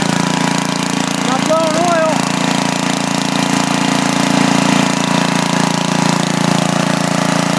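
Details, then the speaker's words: Freshly rebuilt 10 HP Briggs engine on a 5000 W Coleman generator, formerly smoking, on its first run after new rings: steady even single-cylinder running, no misses, knocks or surging; started right up, no smoke beyond cylinder lube oil. "seems to be doing pretty good tubes started right up wasn't blowing any smoke other than the oil we put in the the cylinder for Lube"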